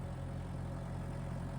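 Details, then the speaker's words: Tractor diesel at 2,500 rpm rated engine speed with PTO running, canopy removed, tripod microphone: low, steady drone holding even speed under load, no knocking or surging; healthy, loud enough to read as a danger level for hearing. "We're going to crank it up to 2,500 RPM, which is rated engine speed. Oh, that's a danger level right there."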